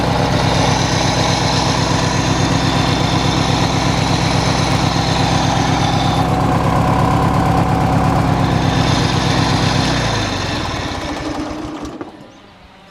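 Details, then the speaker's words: Hechinger by MTD lawn tractor, small single-cylinder engine after belt replacement and readjustment: steady even idle, smooth firing with no knocks, then clean shutdown; running normally. "appears to be acting all right so i'll put on that cover you"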